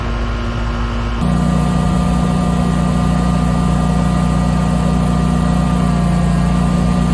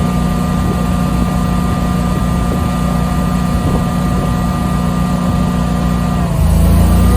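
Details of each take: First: Generator powering an air conditioner fitted with a Micro-Air EasyStart 368: drone steps up as the compressor starts, then holds an even, steady hum without bogging or surging, running about 9.6 amps. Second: Generator running an air conditioner without a Micro-Air EasyStart soft starter: steady drone dips and labours a couple of seconds as the compressor kicks in, then recovers; heavy start-up load, unlike on utility power.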